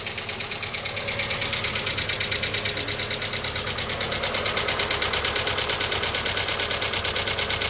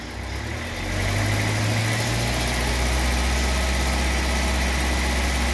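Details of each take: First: VW Fox 1.0 at 33 °C cold idle with oil pressure above 3 bar: sharp, even top-end tapping about three times a second. Early lifter wear is suspected and needs teardown to examine; the engine also shows low oil pressure. Worn camshaft and lifters. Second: VW Fox 1.0 after camshaft and worn lifters were replaced, warmed up with the fan on at 100°C, held at 2000 rpm: a steady, even hum with no knocks or ticks; oil pressure now reaching the specified 2 bar.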